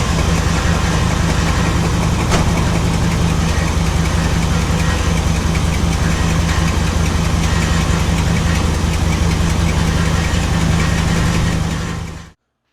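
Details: Chevy 350 small-block V8 started right after an oil change with five quarts, level checked full: deep, even rumble with a steady firing beat and no knocks or misses, a healthy smooth idle.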